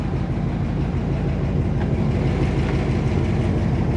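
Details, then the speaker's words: 1955 Ford Y-block V8 idling after replacing 4 bent pushrods and setting valve lash, air cleaner on, heard outside with hood down: low steady rumble, exhaust audible, front end much quieter and smoother than before, no knocking or tapping. "I mean you hear the exhaust but up front here it is a lot quieter than it was"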